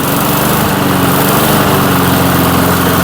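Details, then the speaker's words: 1996 Murray 22-inch mower, revived after 10 years dormant, running in a cold Michigan shop after PB Blaster in the cylinder: steady, even drone at constant speed, no misses or knocks; running healthy. "Doesn't sound bad. We'll see if that snow clears out of it a little bit. She don't sound too bad."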